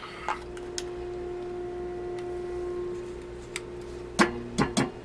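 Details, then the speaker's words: Emmerson Model 505 tube radio being revived, local oscillator just working after warm-up: steady ringing tone in the speaker and sharp metallic pings when tapped; oscillator tube microphonic, later found bad. "something's microphonic now"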